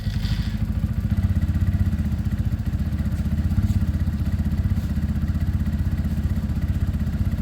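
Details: Sinnis Outlaw fuel-injected motorcycle, started after a week sitting to warm up: steady, even low single-cylinder idle thump, quiet and smooth with no knocks or ticks; normal idle.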